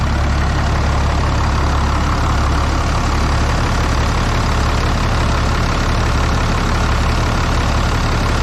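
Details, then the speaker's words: Dodge 6.7 Cummins, 859k miles on factory injectors, cold start at about 37–38°F with some wind: heavy clatter with uneven, lumpy pulse, weird startup never seen before, check gauges light on; owner suspects bad injectors, unconfirmed. "I must say that was a pretty weird startup out of all the years I've owned it I don't think it's ever done that before"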